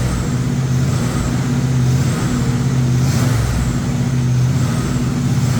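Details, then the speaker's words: Freshly rebuilt 1958 Apache V8 during cam break-in, fast idle around 2000 rpm: steady, even drone with no ticking or knocking; sounds healthy, normal fast idle. "Well, it sounds real good, guys. I mean, I guess we'll do a little walk around, and I'll bring you back when it's idling because it's going to be more of this right here."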